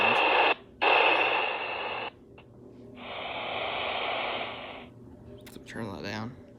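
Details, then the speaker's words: Baofeng UV-5R radio with volume turned up: a loud steady hiss in bursts with no voice, open-channel static. Squelch is set too low. "Hello, today I'm going to be addressing the why does the white static come through and how to fix."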